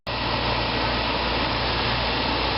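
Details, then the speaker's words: 1995 Fedders window air conditioner, heard outside, another unit audible in background: steady even hum, no knocks or rattles; compressor running smooth and quiet despite some rust underneath. "and here here it is outside with the compressor running it's real quiet you probably still hear the carrier running in the background"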